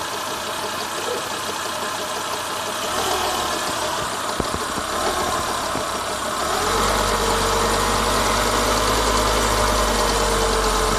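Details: Renault Logan engine knocking at idle: fairly regular tapping near four per second, rising with engine speed; timing belt found defective and scrapped.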